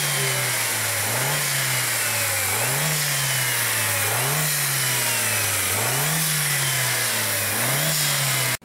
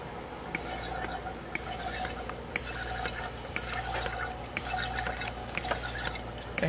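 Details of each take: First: 2003 VW Beetle 1.8T with many codes including pressure drop between turbo and throttle, owner reporting hissing, revved about every one and a half seconds: loud airy hiss over the revs; boost leak from a split turbo hose. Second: 2003 VW Beetle 1.8T, engine off, boost control solenoid valve N249 output test with a vacuum pump supplying vacuum: crisp hissing click about once a second, valve switching properly; diverter valve then suspected for the boost-leak codes.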